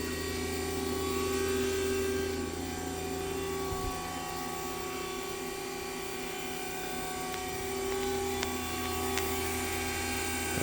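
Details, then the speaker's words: 2006 Haas VM3 12K-rpm spindle, not fully warmed up, stepping from 5,000 to 8,000 rpm: steady high-pitched hum with a smooth whir and no grinding or rattles. The spindle runs quietly and cleanly. "So we will, it's not all the way warmed up, but you can hear it's quiet. There's 8,000."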